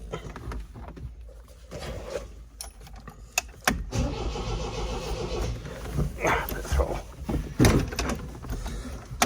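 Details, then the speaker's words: MGB GT found after 20 years in hibernation, first start on choke: engine catches into an uneven stumbling fast idle with lumpy beats, sounding very rich but smoothing out a bit with good oil pressure; rough lumpy running. "Okay, she's smoothing out a bit. Good oil pressure. It's the important one. Sounds really lumpy."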